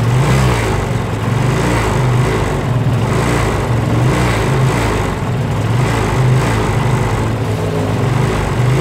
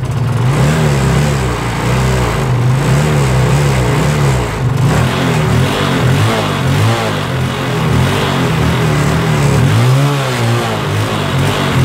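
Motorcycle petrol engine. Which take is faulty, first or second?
first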